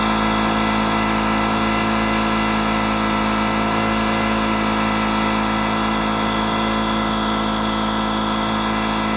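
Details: Detroit Diesel 8V71 two-stroke V8, water hose spraying into the blower: steady screaming high-rev runaway drone; the water slowed rpm somewhat and kept it cool but caused no hydrolock.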